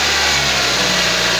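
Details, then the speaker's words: Nissan X-Trail T32 after replacing the auto tensioner and water pump: the buzzing and rattling that rose with throttle are gone, leaving a steady, even idle hiss with quiet front accessory drive and no belt chatter. "You can see for yourself that the buzzing sound is gone and the rattling sound that was there at the beginning is also gone."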